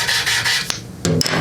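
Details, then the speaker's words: Valve lapped in with a drill during a valve job on a Briggs & Stratton engine from a non-running commercial Lawn-Boy mower. Gritty back-and-forth rasping turns finer and smoother as the seat beds in; the valve seat is lapped in. "okay that sounds good it sounds like it's worked it in you can tell it gets finer and finer that's nice"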